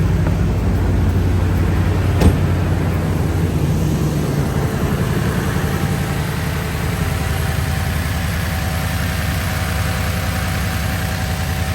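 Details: 2017 Toyota Tundra V8 at normal idle just after replacing all eight spark plugs: low, steady idle with an even beat, no misfire stumble or ticking.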